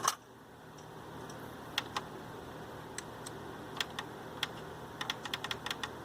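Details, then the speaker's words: Onkyo TA-RW909 cassette deck during belt service, with a broken drawer detect switch on the loading cam: sparse, irregular dry clicks with no motor take-up. It won't engage a function until both drawers are sensed closed; the drawer switch is faulty. "still doesn't hmm you really got to have that switch on that cam this machine won't engage a function until both drawers are closed and in two texts both are closed"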